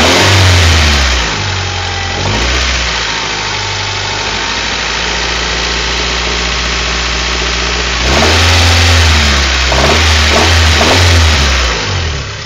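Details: Honda Prelude H23A1 engine idling then revving: faint knock under the rev changes against the exhaust note; owner suspects wrist pin knock, not confirmed.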